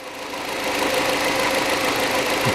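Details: Hyundai Accent 2006, 1.6 petrol, manual, after an ignition coil replacement. Even, steady idle hiss with no stumbles or dropouts. Normal idle.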